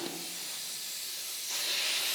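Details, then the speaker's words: Flat front turf tire on a John Deere tractor, reinflated with a compressor to locate the leak, no engine running; steady sharp hiss of air escaping; air leak from a puncture hole. "now we're going to be looking for or listening for any kind of holes or any kind of air leakage which i can already hear the air leaking out i don't know if you can hear that there"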